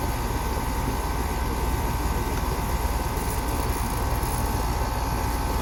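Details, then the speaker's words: Air conditioner condensing unit that runs constantly, with a fan motor problem and high head pressure: steady low hum with an uneven rattling pulse about three times a second from the compressor; source of the rattle unknown. "Something doesn't sound right about that compressor. I see that rattling. I don't know what that rattling is."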